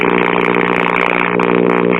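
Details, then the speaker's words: 1956 RCA 6-X-5 five-tube AM radio: heavy steady 60-cycle hum with a buzzy edge under the station audio, from a broken trace on the filter capacitor ground, as if no filter capacitor were there. "I hear a station, but a lot of heavy-duty 60-cycle hum to go with it too, so let's see what's going on."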